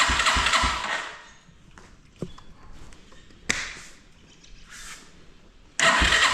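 Starter bursts of quick, uneven cranking with one faint catch and no pickup; it won't fire, consistent with a tight exhaust valve and cam timing a tooth out.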